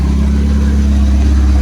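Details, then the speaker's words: Honda EF Civic build, running on a jump-start while checking alternator charging: steady, even low note with firm beat, no knocks or misses; charging, tach and fuel gauge dead, engine running good. "It's running, so that's good. Sorry for the crazy camera. I'm trying to do this real fast. We are charging. Hell yeah. Thing's running good."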